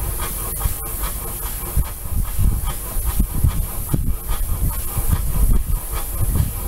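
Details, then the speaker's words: Old brick-making steam engine from Missouri, running on compressed air: even hissing exhaust puffs with a steady light clicking beat, smooth and regular; normal running. "here we have another steam engine running and this one made bricks up in missouri and uh it's humming along there lonnie's got it going it's running on air just clicking along"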